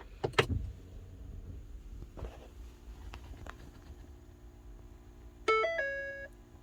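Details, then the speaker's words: Ford EcoSport after fixing the small interior temperature sensor fan: quiet cabin with low steady hum and short dashboard chime, buzzing at startup gone. "no sound at all no sound at all"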